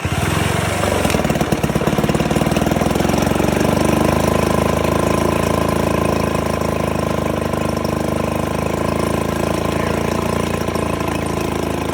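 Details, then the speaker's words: 1969 Johnson Sea Horse 1.5 hp two-stroke outboard, running for the first time in years after the choke cable was extended and water added to the lower end: even crackling beat with no misses or surging. Normal running. "Oh, yeah. Running good now. >> We got this Johnson 1.5 running for the first time in years."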